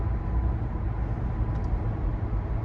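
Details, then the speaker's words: 2015 Toyota Venza 2.7L 4-cylinder AWD at 50–60 mph, after replacing the left rear hub assembly: low, steady road rumble only; the earlier humming from the left rear, which worsened above 50 mph, is completely gone. "yeah the sound is gone like completely I hear it was humming and humming on the left rear corner now it's gone"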